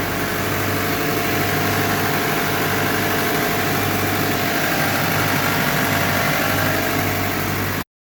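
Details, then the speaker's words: 2005 Hyundai Santa Fe 4-cylinder idling right after radiator replacement, coolant refilled, heater on max and AC off to bleed air until heat blows; constant, even idle with no misses, knocks or hissing; normal idle. "Now we're gonna fill it up and turn it on, let it idle, put the heat to the max."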